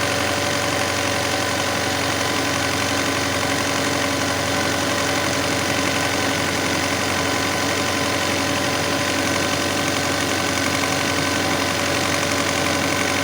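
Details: Alfa Romeo 156 Twin Spark idling steadily at a constant pitch far above normal; owner reported 3,000–4,000 rpm, with a loose cable found. Intermediate idle adjustment system fault suspected; auto-adaptive learning procedure advised. High idle, cause unconfirmed.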